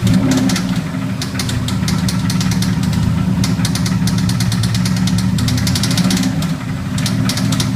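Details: Built Subaru EJ257 WRX engine with Manley internals idling steadily, overlaid with sharp metallic taps in quick bursts; owner says it doesn't sound like rod knock or lifter noise, cause unknown.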